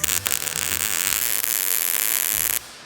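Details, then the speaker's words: MIG welding thin metal overhead with heat and wire speed turned down: steady, crackly arc hiss that cuts off sharply, a thin, cold-sounding burn with too much resistance from short-circuiting and poor penetration, so the weld needs more heat. "So I can feel it in the weld and the sound of it. We want some more heat."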